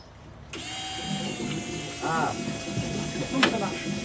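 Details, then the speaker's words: Peugeot 205 turbo VR6 project, fuel pumps priming after fuel system work, before starting: steady electric pump whine with sputtering, gurgling bursts; air still in the fuel lines, wait until the air is purged. "Ah oui, quand tu entends de l'air comme ça, il faut attendre qu'il y ait plus d'air."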